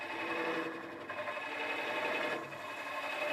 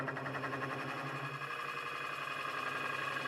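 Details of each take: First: Woodcut Pro-Forme hollowing tool held level, not rolled, hollowing a 6-inch by 8-inch walnut form on the lathe: an even, unbroken hiss of continuous cutting with no chatter or catches. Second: Lathe hollowing a 6-inch walnut vase with a Woodcut Pro-Forme tool: rough rasping cut with a low hum and throbbing pulse, chatter vibration caused by moving the tool too quickly; fix by slowing the traverse.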